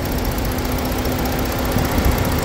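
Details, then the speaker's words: Ford car cooling fan module test, idling with AC on, fan control voltage pulled from 12 to 8 V: steady even air rush over low idle rumble, both radiator fans spinning smoothly; normal. "that means command or air condition for acid work you see now here the two fan are working"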